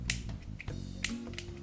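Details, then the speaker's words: Palm sander after brushes and commutator were sprayed clean, switch suspected burnt out: a few sharp switch clicks with no motor hum or spin-up; motor fails to start, cause not pinned down. "Alright, moment of truth, I think if this switch is burnt out, maybe I can just hard wire it and put an inline switch here but let's see what happens, this might spit out a bunch of junk."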